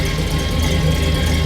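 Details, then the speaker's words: 1966 Chevrolet Impala, parked 7+ years, rebuilt junkyard engine with possibly a 6-liter cam, bigger injectors and truck headers: deep idle about 850 rpm with a slight uneven lope; owner suspects bad gas. "Sitting here idling about 850. You can hear it's got a little lope, and that's probably bad gas."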